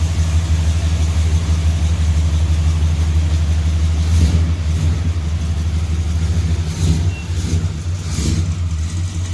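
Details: Dodge big-block 400 V8 running outside on its wheels after head removed for exhaust bolt-hole repair and new plugs fitted: deep steady rumble with a few clean throttle blips, smooth and even; healthy normal running.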